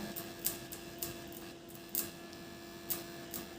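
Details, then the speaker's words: Amplifier power transformer plugged directly into mains AC for testing: quiet steady hum with a few light clicks in the room, showing it is powered; normal transformer hum. "ठीक है, अब मैंने transformer को लगा दिया है और इसमें पावर भी आ गई है क्योंकि इसमें आवाज़ आ रही है।"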